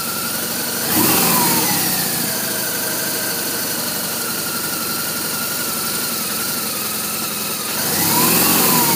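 A twin idles with a couple of quick throttle blips and an uneven, lumpy beat between them: rough idle, cause not yet found.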